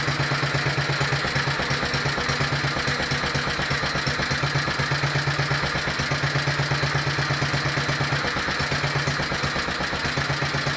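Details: Petter stationary single-cylinder engine, warm (run 10–15 minutes earlier), carburettor still too small, a bit smoky: thumping about three beats a second but stumbling unevenly now and then, coughing, spluttering and misfiring; cause not confirmed.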